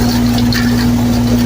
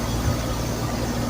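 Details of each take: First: HVAC system calling for cool: outdoor fans run with steady hum in rain but no compressor drone; compressor not starting due to loose control wires, possibly a five-minute delay after power loss suspected. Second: Hear that noise? That's a compression. Get the thumbs up.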